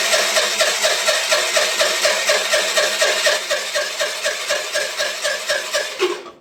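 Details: Piaggio Liberty 125 scooter after its electrical starter problem was fixed. It cranks steadily at about two beats a second for six seconds but never fires or picks up speed: cranks but won't start.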